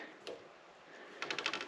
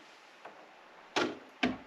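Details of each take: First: Naim Audio CD player (CD3/CD5/CDX type) door after repair: clang cured by pushing the door-close magnet back up; light click and soft ticks as door shuts quietly, no metallic clang. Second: Naim Audio CD player (CD3/CD5/CDX type) manual door mechanism: sharp metallic clang/twang with ringing tail on closing, common with age, from a sagging ribbon cable; doesn't affect playback, easily fixed.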